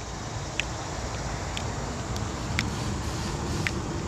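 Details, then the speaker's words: Intake runner solenoid energized with a power probe before the engine is started: faint, sharp clicks about once a second over a low rumble, switching normally. "And then we're going to activate it and see if the solenoid clicks."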